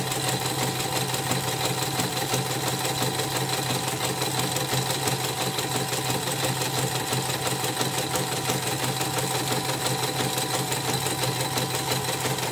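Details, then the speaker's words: Portable CNY embroidery machine under test after repair: steady chatter about three beats a second with a faint squeak each cycle; still rough even with a borrowed new presser foot, old one worn loose. Hook-area wear suspected, not confirmed. "Tapi ini sudah dites, sudah mulai ini, nanti saya cek lagi suaranya kasar. Ini saya pinjam sepatu yang baru, masih kasar juga."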